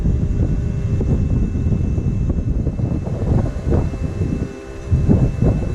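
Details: 6.0 diesel truck just fitted with a new upgraded turbo, first startup recorded at the tailpipe on current tune: deep, steady idle with even pulses and some wind buffeting; no misses or odd noises, runs healthy.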